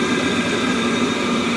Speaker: working like new, no smoke